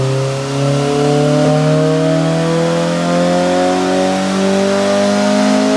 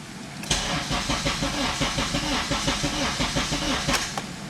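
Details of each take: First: Honda Civic Si EP3 with JDM K24A2 swap on dyno, 91 octane tune, after clutch break-in: clean, smooth full-load pull climbing steadily to redline with no misses or rattles; healthy, safe air-fuel ratio. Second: Honda Civic Si EP3 with K24A2 swap, first start on K Pro base map, battery weak: starter churns about four beats per second for several seconds, never fires; immobilizer enabled on non-matching ECU blocked start, fixed by unchecking it.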